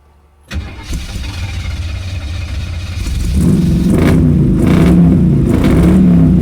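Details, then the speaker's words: Pontiac Strato Chief with new homemade exhaust, choke engaged: catches after short crank, settles into steady, even, much quieter run with mild rev; normal running. "bummer it's a lot quieter like a lot quieter that's nice it's good is good"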